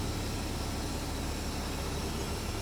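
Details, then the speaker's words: Used automatic semi truck with 497,000 miles, just back from a dealer-covered repair, recorded in the cab while driving: steady, even low diesel drone with no knocks or misses; running normally. "So, so far running pretty good. Here's a look at the uh inside here."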